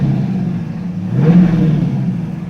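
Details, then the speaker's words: TVR Griffith 500 V8 idling with door open after a short test drive following extensive work; staying cool, pretty good oil pressure, oil change due, some paint burning off. Deep, even burble, steady beat, no knocks or misses; normal idle. "What a lovely, lovely sound. Staying nice and cool. We got pretty good oil pressure."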